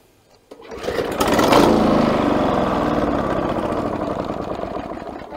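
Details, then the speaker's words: Victa Power Torque VE40 two-stroke mower with new CJ8 spark plug: catches after a few pulls, runs rough and uneven then fades and stops straight away; plug not the cause, later traced to faulty carburettor main jet. "let's try to start engine this will stop straight away so sun don't worry this will stop okay"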